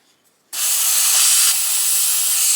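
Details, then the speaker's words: Umarex Zelos air rifle, at low pressure, degassed before tuning the regulator to about 1900 PSI by unscrewing the air cylinder: sudden loud, steady high hiss of escaping air; normal degassing. "So the easiest way to degas your rifle is to take off your cylinder, and that's just unscrewing it."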